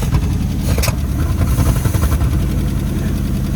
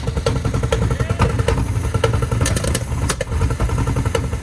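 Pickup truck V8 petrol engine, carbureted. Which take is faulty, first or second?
second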